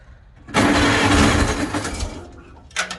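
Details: 1955 Farmall Cub gas tractor, battery trickle-charged overnight, choke on, fuel in filter: starter churns steadily about 1.5 s without firing. When it does start it runs rough on about two cylinders; owner plans a tune-up starting with the plugs.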